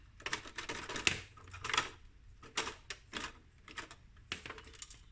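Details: Marantz CD-72Mk2SE CD player shaken by hand: irregular bursts of light clicking and rattling from a loose piece inside, the broken tray open/close gear, later replaced with the hole modified to fit.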